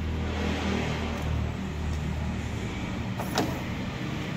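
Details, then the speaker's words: Maruti Alto 800 with a new direct-fit washer/wiper motor replacing the defective one (wiring was good): a steady, low electric whirr with the wash-and-wipe function on, with no grinding or stutter. The washer pump is working normally. "So when your wiper motor works, it'll make a sound when you turn on the wash and wipe function."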